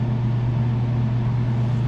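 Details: Daikin McQuay 2-pipe fan coil unit after no-cooling call, system switched to cooling with the valve actuator now opening, electric heat drawing no amps: steady low blower hum, even tone, no rattles; cooling normally.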